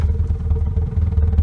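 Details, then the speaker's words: Homemade wood-burning garage heater with a new burner design and intake air setup, loaded with about three times the usual wood: a deep throbbing rumble pulsing several times a second as the firebox pulse-jets from overfilling. "all right something really weird is going on now now it's freaking pulse jetting on"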